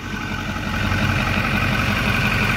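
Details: 2008 Ford F-450 King Ranch diesel, 128k miles, 4WD dually, EGR deleted, starter recently replaced for intermittent no-start: steady even diesel idle with low rumble and light injector clatter, no misses or knocks; running smoothly.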